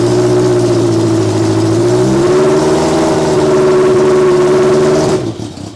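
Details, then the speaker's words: Honda Fireblade motorcycle engine fitted in a kei truck, no coolant, old carbs: revs up, hangs and sags unevenly, then dies after about five seconds; poor idle, owner suspects air leaks from the air box seals. "there isn't really anything obvious that I can see that is stopping it from ticking over better it's probably just this a box old bikes you need to make sure you got proper a tyght seals"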